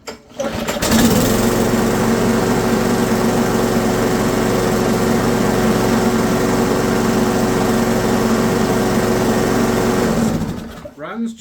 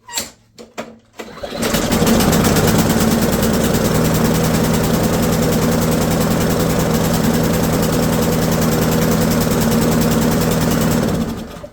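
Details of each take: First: Ariens mower with Briggs & Stratton 190cc auto-choke engine, after fixing stuck auto choke: fires and holds steady even hum with no surging or hunting until shutdown; healthy running. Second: Ariens lawnmower with Briggs & Stratton 190cc engine with auto choke; after firing it runs with a rich rhythmic chug about four times a second instead of a clean idle, from a choke stuck closed; stuck choke.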